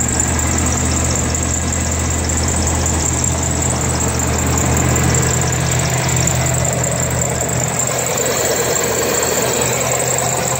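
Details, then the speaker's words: 1992 Chevrolet S10 2.5 fuel-injected Iron Duke four-cylinder, 164,689 original miles, compression seemingly passed with all cylinders within 70% of each other: steady even idle with smooth low rumble, no knocks or misses; runs strong. "It seems to have passed. All cylinders were within 70% of each other, and it runs strong."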